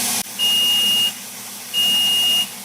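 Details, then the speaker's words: ApolloSpray digital turbine sprayer at 3 PSI with the trigger held open. Two long, high beeps about 0.7 s each over a steady turbine hum warn of the Power Pause before pressure drops to 2 PSI. "so the beeping is your warning before it actually shuts down and goes into the dropped pressure or the 2 PSI"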